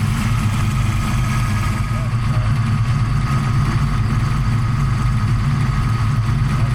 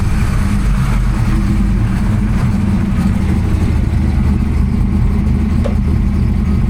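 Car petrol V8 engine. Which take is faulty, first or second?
second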